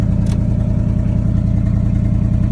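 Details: 1979 Chevrolet C30 truck, fuel fed from a rigged gas can: deep, steady, even rumble with regular firing beat and no knocks or ticks; normal running.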